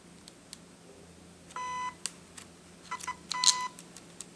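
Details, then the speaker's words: Shanny SN600N speedlite zoom head: short high-pitched whirring bursts, a fraction of a second each, higher in pitch than the lower-pitched Nikon flashes; normal zoom motor noise, though possibly annoying in quiet settings. "you notice that it it it's it's a high pitch I'm I'm going to do this one one more time it's a high pitch compared to the Nikon flashes which is a a lower pitch sound when it zooms"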